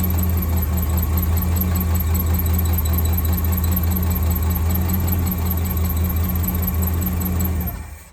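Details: 1963 AMC Rambler wagon 287 V8 idling cold after about 5 minutes, driven ~100 miles with the fault: thin high squeal over steady idle with faint tick; left-bank rocker shaft oil-starved, galled, after bolt mix-up during valve stem seal job.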